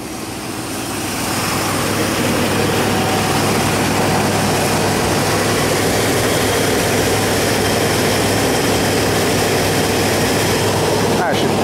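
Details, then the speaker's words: Dually truck: the engine catches and settles into a steady even rumble with no misses or knocks; it runs cleanly. "ain't that a sweet sound ain't that a sweet sweet sound let's see yep they're dry haha it's a lie it's alive its alive"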